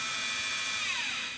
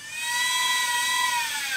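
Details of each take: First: Quantum LTO-4 tape drive in a server rebuilt on an Aaeon EMB-B75A board with an Intel i3 3220, during a partial restore. A high, steady whir sags and winds down after about a second as the drive stalls mid-file. The owner wonders whether it is a data flow issue or the drive itself. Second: Quantum LTO-4 tape drive in a rebuilt Aaeon EMB-B75A / i3 3220 server, running a backup; clean high whine sliding down in pitch as the reels run, with no grinding or clicking, and it works better than in the old machine: normal tape writing.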